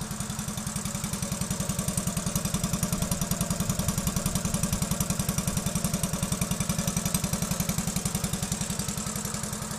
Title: honda novio, first start after a full engine rebuild